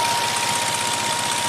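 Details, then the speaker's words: 2006 Nissan Maxima V6 six-speed manual that overheated on a mountain grade, idling in a cooling system test: at 203° both radiator fans kick on low speed with an even, steady airy whoosh and no rattle, running normally. "All right, so at 203°, cooling fans just kicked on low speed. They are both spinning very nicely."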